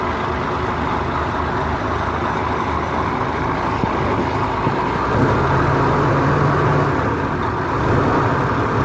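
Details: Isuzu FEZ280 six-cylinder diesel after temperature clutch fan silicone oil service: steady idle with even low rumble and faint fan tone; runs smoothly with no knocks or misses.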